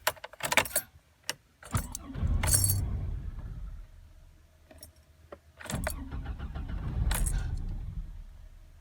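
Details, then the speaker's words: 2000 Chevy Astro van: keys rattle, engine catches twice and each time fades out within seconds; fires then stalls immediately despite working fuel pump, spark and tested coil, no codes found. "it fires up and then stalls right away fires up stalls right away"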